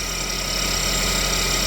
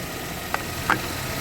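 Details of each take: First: GMC engine after a head gasket redo, with timing chain found half a link off, idling: fast, uneven ticking rattle over a harsh hiss. Unusual running noise; the cause is not confirmed. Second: GMC after a head gasket redo, warm after running a few more minutes: quiet, even idle with a couple of light clicks over a soft hum, and no coolant bubbling. Normal idle.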